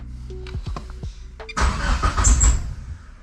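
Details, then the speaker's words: 2G GSX on FuelTech engine management, after fixing CAS connector crank-signal fault: starter whirs, engine catches with rough firing then dies within two seconds; owner suspects excess post-start enrichment flooding it, reducing it helped. "I think it was just way too rich 0 seconds into starting, and so it would immediately shut off."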